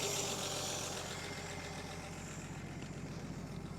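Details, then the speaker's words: 1959 Chevy Biscayne, one owner, 6-cylinder engine that was locked up after sitting about 20 years in a Kansas lean-to barn, now freed and revived: steady, even idle with an unbroken low rumble, no knocks or misses; it runs and drives, then is shut off with the key. "so it does run and it does Drive and the best way to shut it off as we get out here come over here and turn off the key simple as that"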